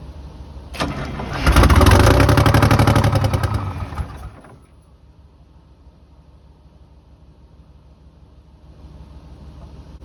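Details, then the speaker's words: 1982 Silver Eagle tour bus, Detroit 6V92 diesel parked 6-10 years, cranked without ether: lights off first try into a heavy, steady clatter for a few seconds, then dies; owner unsure whether fuel shutoff valve cut it or it lost prime. "hey it lit first try that's nuts so i don't know if the fuel shutoff valve shut it off or just lost prime or what"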